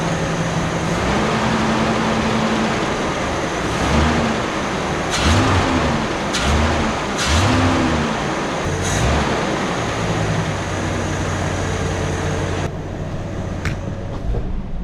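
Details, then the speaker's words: Classic Ford Falcon: catches and settles to a steady idle, then picks up cleanly on each blip and drops back evenly. Normal idle and throttle response. "if I blip the throttle now good enough for me"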